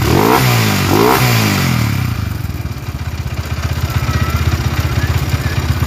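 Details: Honda GL at 70 stroke/bore that feels sluggish; its earlier CBR piston scored within a month. After two blips it idles with heavy uneven thumping and clatter. A reversed clamp bolt rubs the rotating part and the cam tensioner rises and falls, surging the idle.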